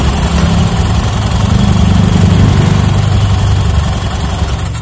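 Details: Honda Beat FI scooter after CVT service, clutch noise gone, drive belt kept: low steady idle hum with no transmission rattle or clatter, tapering off at the end; normal CVT idle.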